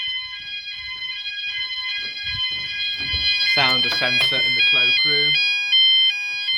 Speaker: so you know whatever you are in the house you can hear it quite clearly and it's very loud so it's doing what it needs to do basically there's no way you're going to sleep through that or anything